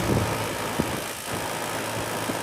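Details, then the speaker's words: Home AC not cooling, house near 80°, outdoor unit at about 79° ambient: only a steady condenser fan whoosh, no compressor hum or refrigerant flow felt; compressor not running. "I ain't feel no refrigerant flow. Maybe that's just a fan. Yep, we got only fan here."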